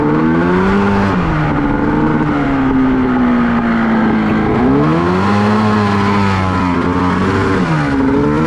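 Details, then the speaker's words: 1989 Honda Pilot with swapped Ski-Doo 670 snowmobile engine, under load in sand with paddle tires: revs rise and fall unevenly and bog, feels like running on one cylinder; owner suspects fouled spark plug. "This thing's definitely feels like it's only running on one cylinder."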